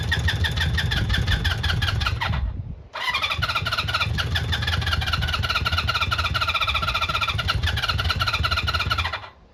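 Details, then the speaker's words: Honda CB400F Super Sport, off the road since 1983, after resetting ignition timing that was well out, choke on: starter whirs in fast bursts with a few weak coughs but won't run; badly flooded. "Come on, you bugger. I thought it was going to go. flooded like anything now."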